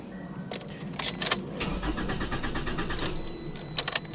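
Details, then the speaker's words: 2011 Toyota RAV4 with no fault codes: the starter churns for a couple of seconds among key and dash clicks, but the engine never fires; cranks but won't start, and the owner suspects the crank position sensor or the fuel pump. "so as y'all can hear my rav4 has more crank you can hear it trying to spin but it won't crank and that's what I'm going to fix tonight"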